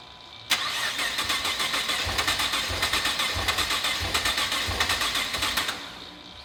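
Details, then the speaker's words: Nissan GT-R at its first start after a blown head gasket and full engine teardown and rebuild, with fresh oil: the starter cranks with steady, even compression pulses for about five seconds, but it never fires. "Junior's troubleshooting right now figuring out why it's not starting for the first shot"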